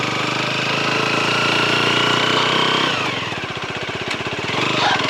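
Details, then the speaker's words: Leonart Daytona 125 motorcycle being ridden on fresh petrol: a rapid, even slapping rattle from around the rear suspension, loudest at low speed. Nothing catches when the bike is pushed by hand and the chain looked fine, so the cause is unclear. "Слушайте, отъезжая с заправки, я услышал настолько явственный неприятный звук где-то в районе задней подвески, что понял, что так дело не пойдет."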